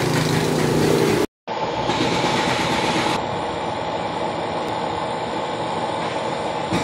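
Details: Carrier remote-control window-type aircon after replacing a failed bearing that stopped it running: steady, even rush of air with no grinding, squeal or knock, running normally.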